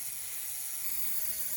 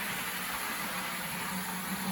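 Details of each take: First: Bowser PRR M1 4-8-2 HO steam kit, DC71 motor, first power-up: a thin, high buzzing whir with a rattly edge, a vibration noise felt to come from the worm. It needs oil, and gear mesh is maybe slightly loose; filing the motor mount is planned. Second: Bowser DC71 motor fitted to an HO scale PRR M1 4-8-2 steam locomotive kit, at full speed on the track: smooth, even high-pitched whir with no catches, slightly slower than the original motor. Normal running.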